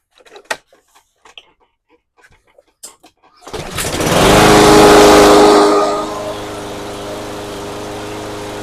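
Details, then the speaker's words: Cub Cadet SC500 HW 159cc mower, sat a year, after carb cleaning and fresh non-ethanol fuel: fires, flares briefly and settles into an even steady run; previously wouldn't start or died after a second, now fixed. "All right, sounds good. I'm going to probably take it outside, let it run for 10 minutes, make sure there's no uh no problems, and call customer, send it back."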